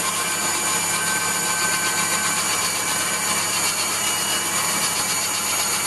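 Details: Waldown/Dumore tool post grinder on a lathe internally grinding a bronze bush: steady high hiss of the small wheel with slightly uneven scratchy edge; light contact tighter at one end, wheel set to just kiss the bore.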